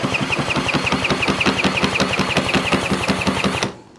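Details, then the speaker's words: Custom Puch Murray moped of unknown build, compression test while kicking over at wide-open throttle: even, strong chuffing at about four pulses a second, reading about 130 PSI, which is healthy. "All right, so that's actually reading about 130 PSI, which is great. If this was less than 90, I'd be a little worried."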